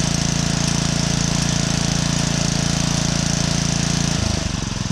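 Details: Honda 5.5 hp, 21-inch Kaaz Lawnflight Pro mower with roto clutch, started on choke with the top cover off. The power drive doesn't work but the PTO spins. A steady, even engine drone with a fast, regular beat at constant speed; the engine itself is healthy.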